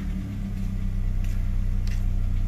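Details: 2.0 Ford Escape automatic with stalling and check engine light, after connector work and codes cleared: steady, even low idle hum with no misses or hunting; idles smoothly.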